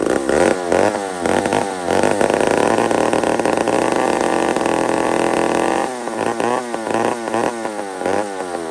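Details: Old McCulloch 1-71 two-stroke chainsaw after a carburetor upgrade: ragged revs that surge and flare, then hang high and screaming, running lean; owner sees a huge vacuum leak at the intake gasket.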